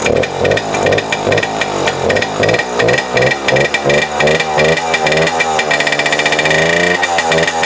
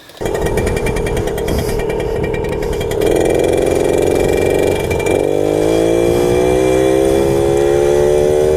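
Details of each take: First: A 1997 Suzuki JR50, a 50cc two-stroke single-cylinder geared children's dirt bike, is being run after restoration. It gives a buzzy crackle that rises and falls with throttle blips, then settles into a steady ring-ding; it runs fine. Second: 1997 Suzuki JR50 50cc two-stroke kids' dirt bike, restored, pulling away in second gear: thin buzz climbs slowly and labours, bogging off the line with no low-end torque.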